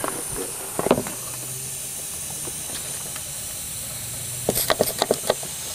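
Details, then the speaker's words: Pressurized boost leak test on a turbo engine. A constant high, airy hiss under a few handling clicks; soapy water sprayed on the injector seals bubbles at one of them, a small boost leak at an injector seal. "you spray stuff down with the soapy water and like I suspected I've got an injector seal leak there got a little one"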